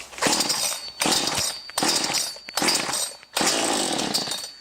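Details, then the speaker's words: Brand-new XtremepowerUS 45cc chainsaw, cold start on choke, pulled 3 to 6 times: four short rasping pops about a second apart as it catches, the sound change that signals choke off; this is a normal cold start. "So for the first time, pull it out, pull it 3 to 6 times, and you want to hear the sound different."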